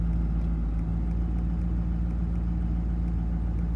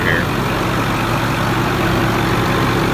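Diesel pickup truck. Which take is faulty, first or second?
first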